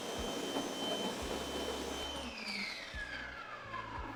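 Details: Active 2.0 electric pressure washer, just over two years old, stock nozzle, measured about 1.84 GPM and 825 PSI. High steady motor whine over a pulsing pump, then the pitch slides down as the motor slows; normal running.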